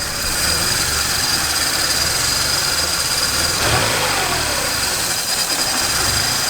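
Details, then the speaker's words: Turbo Honda Civic EG hatch, B-series, on a test drive after a sandwich plate swap to fix an oil leak: rough uneven engine note with hissy top end, really struggling; owner fears a blown motor, cause untraced. "well it fix the oil leak but uh who knows if my motor so works it's really struggling dude it's not like 50 rpm"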